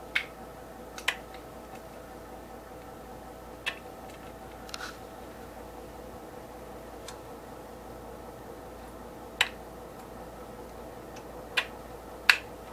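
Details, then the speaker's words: Briggs & Stratton Vanguard engine being bench-wired, not running: sharp dry clicks a few seconds apart as the fuel solenoid clicks on with the key switch, showing it gets power and works; engine also cranks over. "The fuel solenoid is clicking on. It also cranks over with the key switch."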